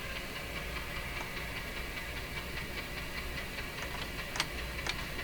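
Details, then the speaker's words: Nordmende Norma Luxus tube radio on FM with a wire antenna: steady static hiss with scattered faint chucking ticks and no station; interference from a nearby soldering iron. "fm antenna why is it making that chucking sound you shouldn't hear that on a fm radio but again that's my soldering iron doing that"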